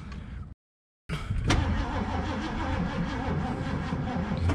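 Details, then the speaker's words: 1969 Mercury Cougar SS, 351 Windsor 2V V8, sat 20 years: the starter churns steadily but the engine never catches. The fuel gauge reads empty, and the owner suspects it is really out of fuel. Crank, no start, fuel starvation. "the fuel gauge shows empty but does it yeah kind of like that maybe it's really empty i don't know"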